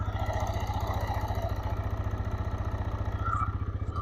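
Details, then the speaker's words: TVS Raider BS6 motorcycle with mileage complaint, just after key start, microphone near engine: steady single-cylinder putter at raised idle, no knocks; high rpm explained as the auto-choke system raising idle at start until the ECU closes it. "दोस्तों, इसमें racing के ऊपर एक समस्या है। RPM अधिक है।"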